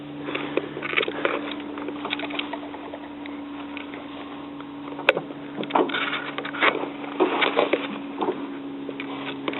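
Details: 1977 Ford 555 backhoe diesel at its first start in over two years, started with starting fluid; a steady, even drone under clatter and handling noise as it runs smoothly at low throttle while warming up.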